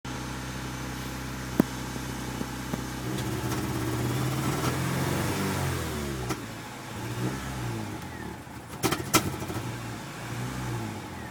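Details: Honda Civic EG D16Z6: catches after cranking, revs unevenly, sags and nearly dies with clunks; mostly won't start. New plugs, timing belt, fuel pump, oil checked; owner suspects distributor spark timing; hard starting and stalling.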